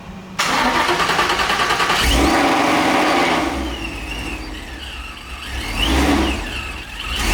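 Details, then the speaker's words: 2015 Mustang GT V8 with a newly installed D-1X ProCharger, first start-up before tuning: it cranks, catches loud, then a lumpy idle with supercharger whistles rising and falling as it revs. Normal start. "oh my God oh yeah oh my God this is loud as hell I can't wait to get this thing tuned guys"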